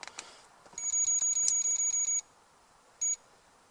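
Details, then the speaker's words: 2001 Dodge Dakota 4.7L manual, key on, engine off, after replacing driver's upstream O2 sensor for P0132; code reader gives about ten sharp beeps then one short beep while erasing stored codes. Code erase beep. "Okay, and that should erase any codes that were previously in memory."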